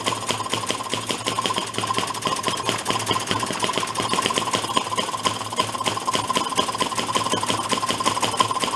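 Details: 1937 Maytag 92 two-stroke hit-and-miss washing machine engine after adjustment: rapid, even popping in steady rhythm; firing cleanly and running smoothly.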